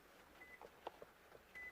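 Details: Toyota RAV4 keyless entry and start fault, diagnostic test: two short, quiet high beeps over light clicks from the wireless buzzer, confirming immobilizer amplifier communication with the key succeeded; the other key gives no beep.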